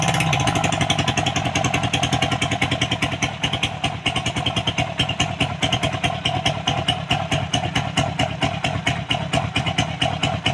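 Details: Suzuki Raider single-cylinder bike with a knocking top end. The valve cover was opened, and the cam chain was found loose from a deeply worn guide channel. It now idles with an even, steady putter and no top-end knock.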